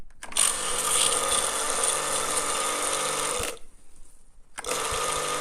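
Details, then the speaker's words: Karcher K 5.20 pressure washer that hummed but wouldn't start, after replacing the failed capacitor: motor starts cleanly, steady even hum and high whir, valve working, stops and restarts smoothly; healthy running. "Ух ты даже клапан работает Как хорошо работает аппарат класс замечательно"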